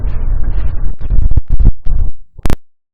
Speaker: le sound of the rain screen and in this particular clip there's actually two popping sounds in the very beginning and then you can also here at the back end of the chord